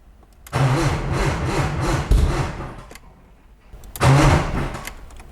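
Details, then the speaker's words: 1995 BMW E36 M3 that sat two years, fuel pump relay jumpered: two sluggish cranking bursts, starter dragging slowly and never catching; suspected weak battery, not confirmed. "all right i think we're gonna need some more juice on the battery okay all right so now we got the battery we got a battery charger hooked up"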